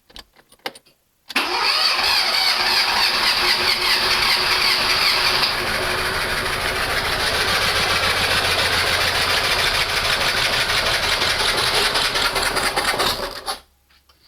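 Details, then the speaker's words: Fiat Panda CLX after engine reassembly following a cylinder head problem, airbox not yet fitted: cranks briefly, catches at once and settles into a smooth, somewhat loud idle with no misfire or knocking; running perfectly. "Seems like it's running just fine. So as you can hear behind me, it's maybe a bit loud here, but she runs. And she runs perfectly."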